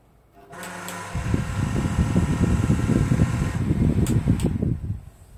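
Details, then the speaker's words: Heated bathroom heater-fan (浴霸) blower motor, before repair, exhaust fans fine: loud, uneven low droning whir with fluttering rumble right after switch-on, quieting after running a while; noisy at startup only. "就这种声音很大，然后开一会儿呢，它就好了。"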